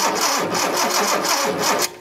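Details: 1976 Datsun 280Z fuel-injected, long-sitting car, spark tester moved to cylinder six: even starter cranking at about five compression beats a second with no firing; cranks but won't start, cause suspected, not confirmed.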